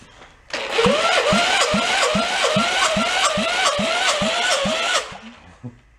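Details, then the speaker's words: Long-stored 1958 VW Beetle engine, rusty and seized, cranking during a compression check of cylinder four: steady cranking about four beats a second with a puff each stroke; exhaust valve not sealing, puffing out the exhaust port. "i hear the exhaust valve is uh not sealing you can see it actually popping out the exhaust port still got the play"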